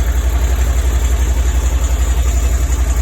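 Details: Moto Guzzi Breva 1100, 34,000 miles, unridden three days, starting after fix for click-no-start issue (extra wire to battery positive); even steady low thumping idle, about four beats a second, no misses; normal idle.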